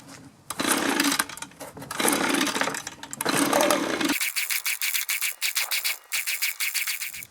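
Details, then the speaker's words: Echo leaf blower that sat unused for a long time, after carburetor cleaning and refuelling, cranked on choke. Rough cranking bursts and weak uneven sputtering pops that never catch; it isn't drawing fuel. Fuel starvation. "not right we're not pulling any fuel so well that didn't work out so good"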